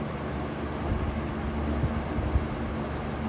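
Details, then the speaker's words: Vintage McGraw-Edison Comfort fan on low speed drawing 1.25 amps: low, uneven rattling buzz with scattered knocks over the motor hum; something loose rattling, source not pinned down. "We'll start with low. You can already hear the rattle. 1.25 amps."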